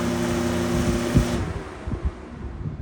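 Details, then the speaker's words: Lakewood box fan, well-used former daily runner (2017–2022), on high speed: loud buzzing rattle with steady tones, fading as the fan coasts down in a long spin-down; owner believes the motor, not the swapped grill, is the source. "I'm pretty sure that's the motor making that noise not anything to do with the grill"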